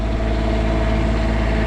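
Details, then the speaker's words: Small Cummins Onan diesel generator in a motorhome running the rear AC on cool: steady low drone, rpm barely rising, even with no knocks or misses; normal running under load. "she's rolling now actually i'm really surprised it's not it did not look it didn't uh increase rpm as much as i thought it would"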